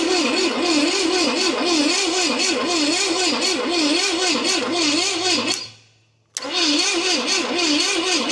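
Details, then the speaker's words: 1969 Pontiac GTO with what appears to be a Pontiac 350, sitting 35 years, HEI wired and timing being set: starter churns steadily about four beats a second, never fires. "All right. See what she'll do. Just turning her over."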